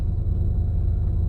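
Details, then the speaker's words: Lexus LS430 air suspension compressor running: deep, steady low hum and drone felt as the whole car vibrating and shaking; worn compressor mounting bushings, to be replaced. "going to take a look at those bushings and replace them cuz you shouldn't feel the whole car vibrating when that compressor kicks on"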